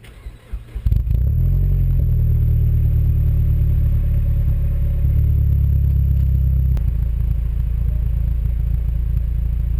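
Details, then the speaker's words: MPS with newly installed mufflers, starting and driving: a deep, steady exhaust note under load with no rattles, leaks or blowing, less droney than before. Healthy exhaust. "I'm also happy that it doesn't sound like it killed the exhaust note you know we've spent some money on this and want to be able to hear that"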